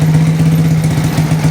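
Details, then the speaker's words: Motorcycle being rewired (ignition switch to headlight) after a blown fuse was replaced: engine started to check the ignition switch and battery charging; low steady hum at one pitch with even pulse, no stumbling; normal idle. "Sekarang kita cek ini mesinnya juga, kita nyalakan, kita sekaligus ngecek kontaknya."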